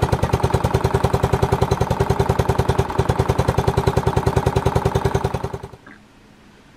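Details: Old cast-iron Briggs single-cylinder on a Simplicity VC walk-behind tractor, started after years sitting outdoors: sharp regular pops about 3.5 per second, then it dies; firing hard, compression weak, points gap to be checked.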